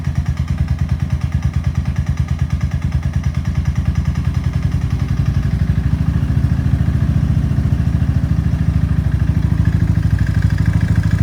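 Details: Suzuki LS650 single at about 4500 rpm climbing a 6% grade into a 35–40 mph headwind: deep hollow knock on every firing beat, about three per second; piston slap, teardown found severely seized piston and .009"+ clearance.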